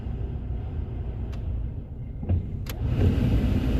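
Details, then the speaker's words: Vauxhall/Opel Astra H (mk5) cabin heater blower on speed three: low fan rumble sags, then surges back by itself with nothing touched; blower cutting in and out. "come on why are the fans deciding to die why i don't know you can hear them i'm not touching anything it's got a mind of its own"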